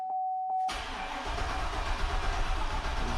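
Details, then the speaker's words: 2003 Chevy Silverado 1500 no-start diagnosis: after a chime the starter turns slowly and unevenly, about three turns a second, and never fires as the battery goes dead. Slow crank, no start; no codes stored. "there we have the batteries getting dead here we're going dead"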